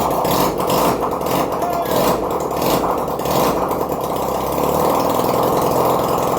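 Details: 1971 Honda CD175 K3 twin being restored, first start after wiring issue fixed: rapid, raspy twin-cylinder putter holding a steady fast idle without misses; normal idle.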